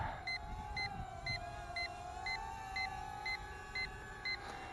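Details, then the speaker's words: Hubsan H122D Storm racing drone on a 7.6 V LiPo battery, in flight: short, evenly spaced beeps about twice a second over a steady motor whine, the low-voltage alarm warning that the pack is nearly flat. "all right what we're hearing here is little voltage indicator so when I come back here and land"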